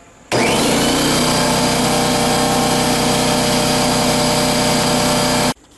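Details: Husky C303H air compressor filling its tank toward 175 psi, after the regulator had stopped sending air to the hose: loud, constant motor drone with a busy rattling hum that starts abruptly and holds steady. Running normally.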